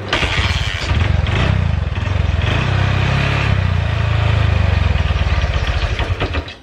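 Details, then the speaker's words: Honda Verza motorcycle, hard to start with low compression (loose kick): fires and runs with uneven wavering beat, then sags and dies; won't hold idle, valves or piston rings suspected, not confirmed. "bisa hidup tapi e enggak langsam sobat"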